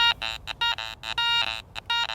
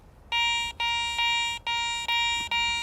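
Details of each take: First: Garrett Ace 400i bench test on a bottle cap with iron audio on and iron notched out: choppy broken tones with grunting iron flanking on each sweep, so it is not a good target. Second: Garrett ACE 400i metal detector, 10 kHz, bench test over a bottle cap before iron is discriminated out: clean high beeps, about five in under three seconds, one per coil pass; reads falsely as a good target.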